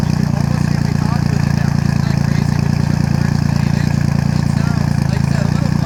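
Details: Triumph Rocket 3 with a homemade budget exhaust, freshly fitted new battery: deep, steady exhaust note pulsing evenly about three beats a second with no misses or knocks; normal idle.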